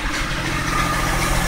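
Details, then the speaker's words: 2004 Mazda6 with a 61k-mile 2006 Fusion 3.0 V6 swapped in, air filter not yet fitted: engine idling and revving with a faint thin whine over it; owner suspects a pulley bearing going out. Engine-bay whine. "yeah you hear that there's a pulley or something going out let's hope it's not engine related at 61,000 no it sounds like a fully"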